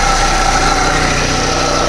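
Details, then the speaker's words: Proton Persona (Campro) idling after new spark plugs cured rough running; a steady gravelly drone with thin whirring, and the alternator vibrates strongly when checked, so a worn alternator bearing is suspected. "Tapi yang alternator ni dia punya gegar kuat ah. Memang aku rasa alternatorah."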